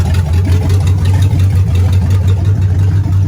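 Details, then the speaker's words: Old V8 in a 62 car just fitted with a remanufactured carburetor: deep rough idle with an irregular knock in the exhaust, heaviest on the passenger-side bank; internal engine knock. "definitely passenger side you could hear it in the exhaust knocking with not looking good"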